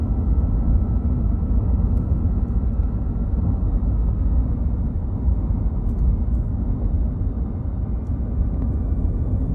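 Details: 2021 Ram 1500 Hemi eTorque V8: faint thin whine from the belt drive over a deep rumble; owner feared eTorque bearings, but the cause was a failing tensioner pulley bearing.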